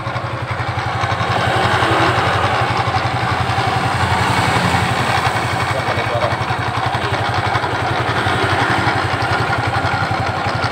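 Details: Suzuki Nex scooter engine running with a rough, uneven knocking rattle ("klotok") from the CVT, caused by a worn driven-pulley bearing, which was replaced.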